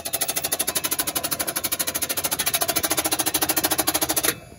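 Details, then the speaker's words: 1987 Chevy C10 that sat about 15 years, first crank on a jumped battery: quick, even starter cranking for about four seconds with no binding or stalling; engine cranks freely, not seized. "all right hold on not seized up then it's not seized up that's awesome"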